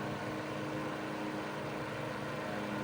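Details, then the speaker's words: 1941 Gilbert desk fan, on high at 0.63 amps and run on 120–125 V though built for 110–115 V: quiet, even hum with no rattle, ticking or scraping. Earlier rattle gone; normal running on high. "Here's high. Pretty significant increase from low to high, which is honestly not very common because these fans right here were intended to run on 110 or 115 volts."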